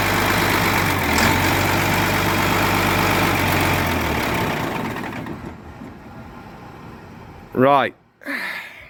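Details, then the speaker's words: Diesel with a fuelling issue, running with a loud chug that never settles, beats wandering at idle before shutdown; after a few minutes there is quite a bit of diesel visible. Cause unconfirmed; it may be sent off. "i can still hear that that bit of just not sitting flat again also we've got you know shouldn't be running a few minutes and quite a bit of diesel there"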